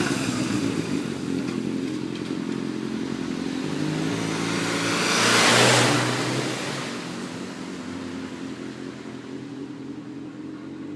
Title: Gsxr k3 600 engine knocking